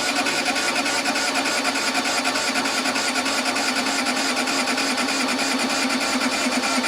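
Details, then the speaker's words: Case 1835C skid loader diesel with broken piston rings, 12 V glow plugs cycled 20-30 s, 24 V starter: even churn about three compression strokes a second, no firing; cranks but will not start. "So far, it's not looking good."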